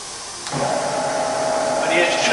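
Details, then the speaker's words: Bridgeport milling machine (48" table, Vari-speed head) spindle after switching to low range, at 300 RPM (top of low range): smooth, even mid-pitched hum after start-up, no knocks or grinding; just as quiet, normal spindle running. "yeah, it's just as quiet and low. That's 300 in low range."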